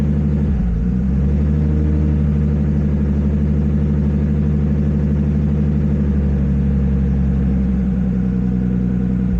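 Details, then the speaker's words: Nissan Skyline R32 GTS-T during aftermarket ECU trigger setup, cam sensor shield just grounded, crank trigger on pull-down, right after start: loud, lumpy idle that wavers and stumbles; misfiring and running rough, cause not confirmed. "Oh, that sounds terrible."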